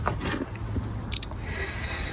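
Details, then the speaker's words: VW Beetle drum brake, drum spun by hand: faint, soft, even scraping from light shoe contact, the slight drag wanted. "and you can hear a little bit of resistance that's where the brake shoes are just dragging against the surface so you kind of want a little bit"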